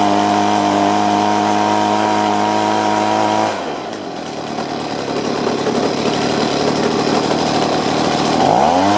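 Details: Stihl BG50 two-stroke blower, which had been hard to start, after a quick high-speed mixture adjustment: a clean, steady high-rev tone that drops cleanly to idle and picks back up smoothly. Runs normally at high RPM.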